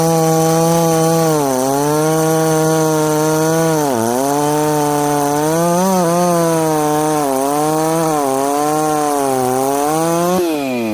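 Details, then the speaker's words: Ported 66cc two-stroke chainsaw, tuned slightly hotter, with a 25 pop-up piston and bearings redone last summer, cutting wood. The high scream sags as the bar loads and sounds soft and blubbery down low: running a little rich on the bottom end. "you guys can hear that this thing's a little rich on the bottom end"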